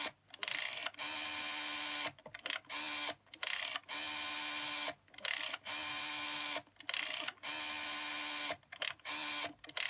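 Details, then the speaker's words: 1984 BT Special Range white candlestick telephone TSR8005B dialing out: the line tone is broken by short bursts of clicks and gaps as each digit pulses; the rotary dial pulses normally and dials out fine. "So there you go, I don't know if you could hear that there, but anyway, it dials out fine."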